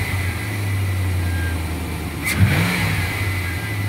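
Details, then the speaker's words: 2004 Chevrolet Silverado 1500 5.3L V8 revving, a whistle that began after water pump and heater hose replacement and also occurs on transmission shifts. A thin steady high whistle rides over the V8; the owner suspects a vacuum line or intake manifold, unconfirmed. "so when you start it up and makes a whistling noise then when you're driving down the road it makes it wasn't every time they the transmission shifts"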